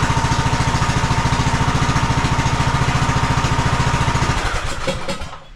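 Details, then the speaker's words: 2015 Craftsman T2200 lawn tractor, 19hp Briggs and Stratton engine, oil low, battery jumper on, choke on: started right up with an even, quick single-cylinder beat, steady and smooth, then winds down; normal start, engine sounds healthy. "Not bad at all. Started right up. So I don't think we'll have any engine trouble."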